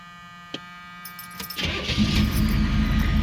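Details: 1978 Chevy Malibu with swapped late-model 6.2 L diesel, HX35 turbo (wastegate plugged), top crossover pipe, injection pump turned up, Turbo 400, 3-inch straight pipes, glow plugs: quiet, then catches within a second into a loud, even, throaty run; clean normal start.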